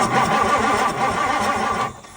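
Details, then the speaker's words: 1964 Ford Thunderbird, 390 FE big block, sat for decades; new points, battery cable and coil wire fitted; starter spins the engine evenly about two seconds without firing; no spark, traced to excessive points gap. "no spark H okay since that didn't work"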